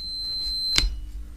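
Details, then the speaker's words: Mobility scooter electromagnetic brake micro switch tested with a multimeter, switch in freewheel. One short, sharp high beep shows continuity; the micro switch closes properly. "doesn't matter which way you put it in and we've got continuity"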